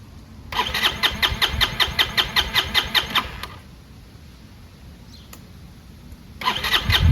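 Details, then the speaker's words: Chinese 150cc GY6 motor scooter after storage, suspected air-fuel mixture or air box restriction: starter churns steadily about two and a half turns a second, stops, cranks again without catching; hard starting, no start, cause not confirmed. "I'll show you what it sounds like right now. Won't even start."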